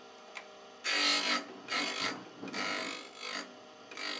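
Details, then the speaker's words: Second side of the drill bit ground on a slab grinding machine's drill grinding attachment, bit turned around: short, dry, even rasping bursts as it swings across the stone, ground until no sparks; normal contact. "I turn it around and make sure I do both sizes there's no needo sparks left then you have the same result as before"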